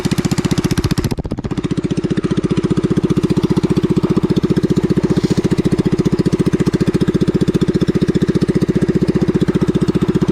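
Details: Pressure washer that wouldn't start after heavy rain, now running after repair. Steady, even pulsing about 220 times a minute with no misses or knocks; the engine and pump run clean and healthy.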